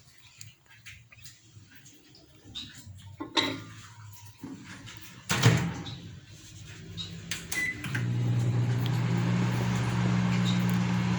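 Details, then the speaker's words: Consul CM020 20-litre microwave after magnetron replacement, test-running with a cup of water. The loud noise it made before is gone and it now heats, with small clicks then a smooth, steady low hum: normal operation. "não tá fazendo mais aquele barulho forte e tá fazendo barulho normal dele"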